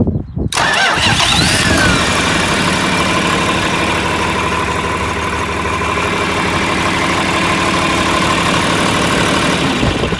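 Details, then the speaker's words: John Deere 4020 diesel tractor after installing a new gear-reduction starter: a short, quick crank catches almost at once, then settles into a steady, even diesel clatter. The starter works normally. "That sounds way different from what I grew up on."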